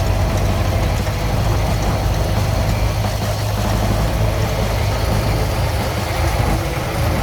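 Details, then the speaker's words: 1929 Ford Model A two-door sedan after carburetor and distributor rebuild: low, slightly uneven idle rumble with no knocks; rough idle, owner suspects a timing issue from shaft play between the distributor shaft and the engine's internal shaft. "it does seem like there is a little bit of timing issue I do believe that's actually because I do have some shaft play in the distributor"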